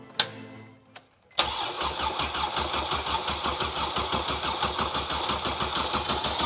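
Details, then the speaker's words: Honda Jazz/Fit with swapped-in Civic EP3 Type R K20A engine, first start attempt with bodged throttle position sensor: starter spins at steady even rhythm about five seconds but never fires; crank no start, suspected no fuel though the fuel pump was heard. "well it cranks it cranks that's good that is good news I don't I don't think we got fuel"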